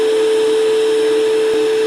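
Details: Shop vac forge blower on a Harbor Freight router speed control (item 43050), feeding air through the forge: constant steady mid-pitched whine with rushing air, no wobble or rattle; blower runs normally.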